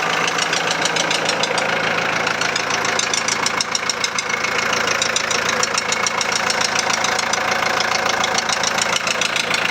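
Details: 2001 VW Transporter T4 1.9 TD diesel idling with a sharp, evenly spaced knock about three to four times a second over the clatter. The head was first suspected (possible dropped valve), but teardown found big-end bearing surfaces almost gone on clean journals: rod knock.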